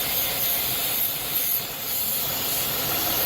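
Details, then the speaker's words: 3.6 L engine idling higher than normal (code P0507, normal about 700–800 rpm) with a loud steady hiss that changes when hoses are moved: vacuum leak from a split PCV valve hose. "That is why this 3.6 6 L is idling higher than normal. I have a vacuum leak right there at the PCV valve hose."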